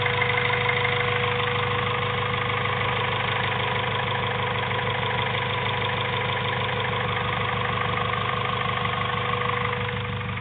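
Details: Honda B16A2 turbo build with CP 9:1 pistons, Eagle rods and Supertech valves, valvetrain and retainers: idle carries a quick, fairly even ticking knock about three per second over the engine hum. Source undetermined; abnormal engine noise at idle.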